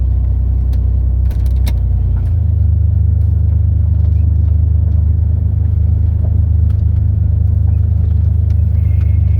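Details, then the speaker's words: 1990 Eagle Premier, 3 L overhead cam V6 with port fuel injection, driving on a very cold day: steady low even rumble, a faint smooth roar like a four-cylinder, no knocks or ticks; healthy at cruise. "As you can hear it's like a very faint roar. Doesn't sound like a V6 when you're driving it. Sounds like a four cylinder."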